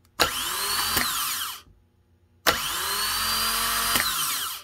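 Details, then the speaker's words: Honda Fit starter (31200-RB1-013) rebuilt with new bendix bushing, bench-tested with 12 V to solenoid: two quick crisp bursts of high spinning whine, each ending in a clean click and spin-down; bendix jumps out, normal starter operation. "sounds pretty good to me. What do you think? Well, it's got a good jump to it."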